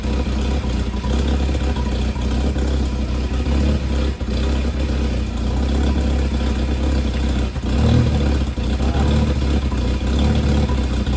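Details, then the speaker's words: Ford LTD/Fairlane with an old twin exhaust, fitted around 2007 and merging into a single at the rear, running and revving: deep, loud, rough rumble from holed resonators that need welding; loud exhaust. "The resonators make a mixed noise. That's where all the sound's coming from. I'm gonna have to weld up the holes in that resonator."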